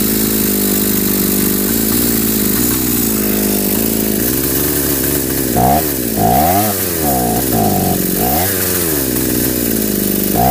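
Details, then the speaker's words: Home-built two-cylinder two-stroke brushcutter with single ignition coil and hose-linked carburettors: high buzzing surging and sagging with throttle blips, uneven firing, one cylinder dropping out; won't run both together, owner suspects missing second ignition coil, unconfirmed. "Тепер цей працює разом не хочу. Так раз трохи пробиває, але не хочети два раз."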